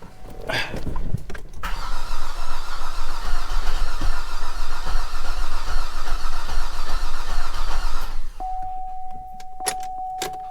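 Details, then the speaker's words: Flood-damaged Cadillac SRX, first start attempt after new starter install: strong, healthy, even cranking with a light rattle underneath, nearly catches but won't fire; rattle source unknown, owner thinks it's probably flooded. "You hear a little rattling under there? It is close. It's gonna run. It's gonna run, but something doesn't sound good."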